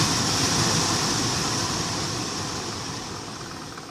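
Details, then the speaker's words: Infiniti M45 blower motor, the old worn unit removed from under the glovebox and plugged back in on max: a thin high squeal over a coarse scraping rattle that fades as it spins down. Noise was worse in cold; replaced with a less-worn spare. "you see it rattling squealing all kinds of sounds all right I said it's gonna make all kinds of noises"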